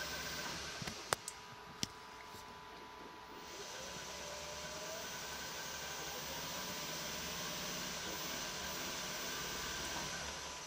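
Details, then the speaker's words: Electric car conversion powered up with higher voltage from power supplies: a few clicks, then a smooth airy whir that builds and holds steady; the motor runs normally. "seems to work just fine"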